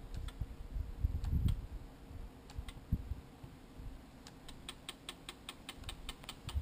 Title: 10-20 sigma clicking noise